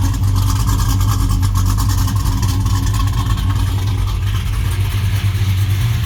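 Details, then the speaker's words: 1967 Chevelle SS 416 LSX V8 with misfire on cylinder 5, plug wire burned on the headers: deep idle with an uneven, lumpy beat and occasional stumbles; runs better after temporary Escalade plug wire, cause not fully confirmed. "why I hate aftermarket wires. You can't bend them, you can't make them right. So burn that one up, now it runs better."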